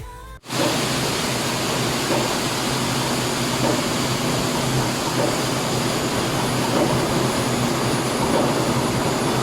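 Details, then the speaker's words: Engine after cylinder head and liner surface were machined, on test run: loud engine room with faint repeating knock about every 1.5 seconds from cylinder 6; piston found damaged via scavenge port, piston to be replaced. "So after namin matesting, merong narinig na knocking sound dun sa cylinder number 6. Pakinggan niyo po yung knocking sound."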